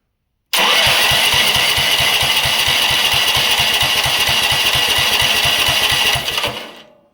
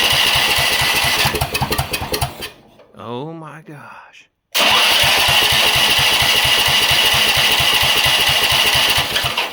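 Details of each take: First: Riding mower engine first start after new carburetor fitted, fuel primed, borrowed battery: catches at once, settles into steady fast chuffing about three beats a second, then winds down; normal start. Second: Rock-mower small engine with new carburetor, freshly primed, governor and rev limiter removed: runs hard and high, dies away twice before catching, won't hold steady speed; owner suspects the governor-less throttle setup.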